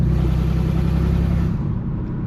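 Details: Ford Ranger with its exhaust Y-pipe cut out: deep, heavy, unmuffled low rumble that drops off as the revs fall; loud exhaust from the removed Y-pipe.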